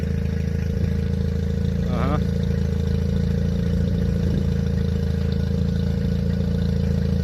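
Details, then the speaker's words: 2002 Mercury 9.9 hp four-stroke Sailpower outboard after ultrasonic carburettor cleaning and re-adjusting idle and mixture screws: starts well, steady idle with slight unevenness; still some annoying behaviour, recurring fuel sediment from an unknown source. "I adjusted the idle and the mix again cuz I had the mix screw out and now it starts up real good"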